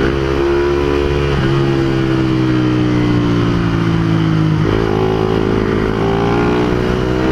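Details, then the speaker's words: Honda CBR150R running after its muffler silencer insert fell out while riding, noticed by a rattle. Loud, raw, crackly exhaust note that swells and drops with the revs. Loud exhaust from the missing silencer. "Akala ko kung ano yung kumalansing e yung silencer pala nahulog so kagabi ko lang nalaman"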